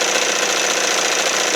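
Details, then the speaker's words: 1968 Evinrude Fisherman 6 hp outboard idling while still warming up, just after throttle linkage repair and an idle mixture screw adjustment to a sweet spot. Fast, even buzzing idle with steady firing and no misses or surging; sounds pretty good. "sounds pretty good."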